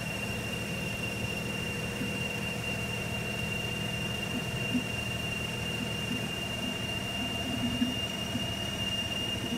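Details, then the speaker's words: Mazda RX-8 during a coolant flush, engine still cool with no pressure built up: a steady high-pitched squeal rides over an even cold idle without changing pitch; the owner is unsure of the source and suspects the water pump. "I don't know what that sound is. Sounds like it's coming from the water pump."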